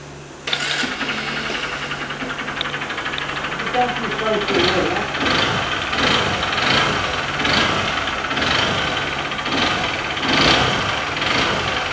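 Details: 2014 Honda Bros 150 brought in for engine noise: after start-up, a hard metallic knock rises from the running engine in repeated bursts; a connecting rod knock, cured by replacing the connecting rod.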